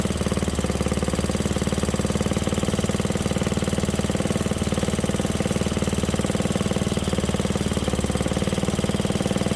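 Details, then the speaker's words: 1967 Briggs and Stratton 6 hp engine: small single chugs at a steady even beat with no misses or knocks, sounds pretty good; it later died when the idle was backed off. "that sounds pretty good did we run it out of fuel yeah there's still a little bit in there"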